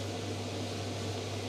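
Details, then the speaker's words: Electrolux clothes dryer after fan replacement: smooth, steady low hum with even airy rush, no rubbing, ticking or wobble; fan running normally like new. "so let's just press play ah how good is that perfect"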